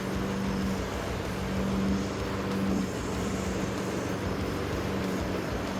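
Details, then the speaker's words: Honda HRN216 lawn mower after a full general service and tune-up with a sharpened, leveled blade: small single-cylinder engine holding a steady, even beat, no surging or shake; running smoothly. "Look, you can see there's no shake. There is if I touch it. That's from the blades being so perfectly leveled. Sounds good."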